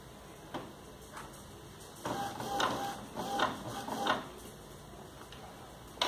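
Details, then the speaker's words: Epson XP-series inkjet printer (XP-214 type) after refillable cartridges are fitted and the buttons are held about 10 seconds: short whirring bursts with clicks as the carriage shuttles. This is normal carriage movement showing the cartridges were recognised. "cartucho reconhecido só dele fazer esse barulhinho aqui eu já sei que ele reconheceu"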